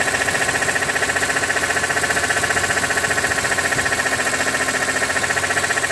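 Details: 2006 BMW E46 M3, 42,600 km, warm idle with oil temperature above 80°C: sharp, even ticking knock about four beats a second; source unknown, owner wonders if oil pump.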